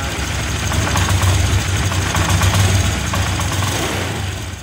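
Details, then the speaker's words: Fuel-injected motorcycle after a new non-original injector, new spark plug and plug cap, and a manual ECU reset: the exhaust beat is still uneven and stumbling, about four pulses a second with dropouts, still misfiring. "setelah kita melakukan bermacam cara, mulai dari pergantian injektor yang baru, terus motor masih tetap tidak mau sembuh."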